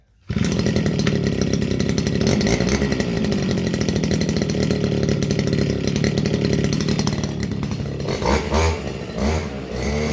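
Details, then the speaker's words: Stihl FS230 brushcutter, warmed up, cutting grass in a stall test: high, steady two-stroke buzz holding its speed, dipping slightly near the end but never stalling; healthy, normal running under load. "Okay, so that's a no stall on the grass."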